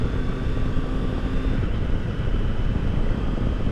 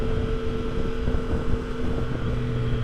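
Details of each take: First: 2022 Triumph Tiger Sport 660 riding past 40 mph after the dealer loosened an overtight chain; only wind roar and a steady engine drone with no whine, whereas before it whined with peg vibration from about 37–38 mph. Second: 2022 Triumph Tiger Sport 660 after its 600-mile service, riding at about 37–38 mph: loud steady whine over road and wind noise with vibration through pegs and bars; owner believes the drive chain is over-tightened.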